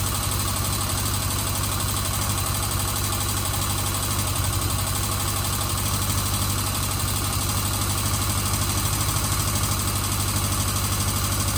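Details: 1977 Kawasaki Z400 after carburetors refitted to cure vacuum leaks, cooled-down engine on half choke: steady low idle, even beat with no misses, hunting or hissing leaks; runs fine.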